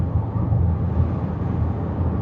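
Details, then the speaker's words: Land Rover Evoque/Range Rover, low-power complaint, on the road test after the detached intake hose was fixed: smooth, even engine and road hum pulling cleanly with no intake hiss or whoosh; perfectly smooth, no more induction noise. "let's take it for a road test perfectly smooth [Music] now nice and smooth no more induction"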